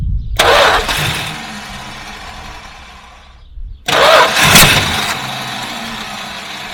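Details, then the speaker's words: 1967 Dodge Charger 383ci started by jumping the starter relay: loud cranking whir continues past catch, repeated on a second start; starter takes long to shut off, staying engaged, cause unconfirmed. "so the start what's happening is the starter staying on it shouldn't be staying on"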